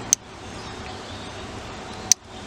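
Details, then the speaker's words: Bench-test circuit breaker fed from the fuse output and wired to a car battery, with a jumper wire shorting to ground: two sharp clicks about two seconds apart as the breaker cycles on and off against the short. "I have put my short back in and you can hear the circuit breaker clicking now if I use this"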